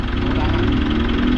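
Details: Mitsubishi Montero diesel after replacing the alternator pulley, which was found to cause the supposed fan belt squeak: a smooth, steady idle with an even rumble and no squeal, chirp or rattle from the front drive.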